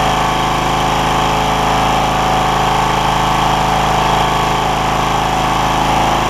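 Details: John Deere LX172, Kawasaki FC420V, after replacing spark plug, ignition coil and igniter for loud starting backfire; carb spray in intake, throttle cable bad: catches and holds steady even run about four beats a second, no pops or bangs; normal running.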